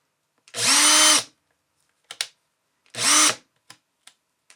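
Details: Makita DDF482 cordless drill after replacing intermittent trigger switch module (6507545, replaced by 6507537); brushes and motor had been fine: crisp steady high-pitched whir in repeated trigger pulls, clean spin-up and stop; working normally again.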